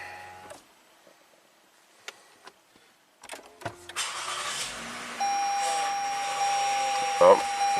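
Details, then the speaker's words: 2013 Lexus ES350, 185k miles, U660E automatic: after restart a steady high whine holds pitch over the engine as the transmission pump starves for fluid; car briefly reverses then loses all gears, smoke from under hood, transmission burning up. "you hear that pump sound again. Oh, we see a little smoke coming out from under the hood. This transmission is burning up."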